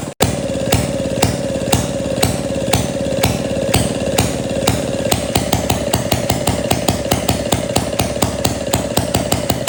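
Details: 1937 Maytag Model 92 single-cylinder two-stroke, bolted to 2x4s, after gas tank and mixer cleaning: crisp evenly spaced exhaust pops quickening steadily as it picks up speed, no misses or knocks; healthy.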